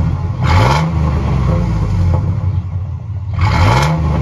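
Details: 2006 Chevy Silverado 1500 long bed with new Quiet Flow muffler replacing stock welded one: two quick rev blips rise and fall cleanly, deep smooth exhaust note, no rasp, rattle or puffing; tiny joint leak barely audible.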